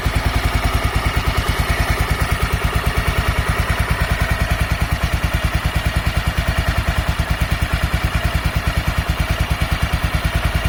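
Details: Honda NX250 Dominator after tensioner found to be the cause of the noise: even single-cylinder thumping at steady idle with no ticking or rattle on top. Normal running.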